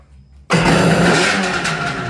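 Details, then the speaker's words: Restored Kawasaki 550SX two-stroke jet ski (stage 2 ported reed motor, dual 38 Mikunis) after battery charge and low carb screws set one turn out: catches abruptly, settles into steady crisp even run, no misses; sounds great. "Well, I uh gave it some battery charge and I set the low screws to um one turn out and I started it and it ran. I didn't get on video so unfortunately. But it sounds great."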